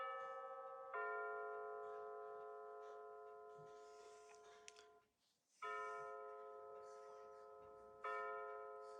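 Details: Bulova C3542 battery wall chiming clock with new chime batteries, pendulum out, set to 9:19 PM to strike 9 times: clear bell notes a few seconds apart, each ringing out and fading cleanly; the hour strike is working normally.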